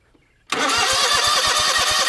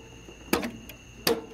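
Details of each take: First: John Deere GT245 with 22 hp Kawasaki engine, after starter repair, ignition module part replacement and a smaller battery: starter whirs with steady compression pulses, about six a second. It never fires; cranks but no start. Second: John Deere GT245 with a no-start fault (relays clicking) before starter and ignition module repair, key on: two crisp clunks about three quarters of a second apart over a faint electrical hum; the electric PTO clutch engages normally.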